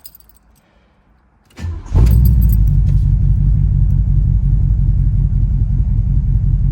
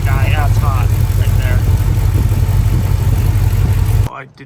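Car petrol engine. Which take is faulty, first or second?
second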